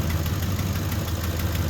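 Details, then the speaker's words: Ford F-150 cold start after an oil change, started in flood mode: faint light ticking over the idle rumble from an exhaust manifold leak. Both sides are still ticking despite two replaced manifolds per side and new torqued stainless bolt kits. "you can hear the exhaust manifold ticking again and it's both sides this is two manifolds replaced on this side two manifolds replaced on that side new bolt kits stainless and torqued"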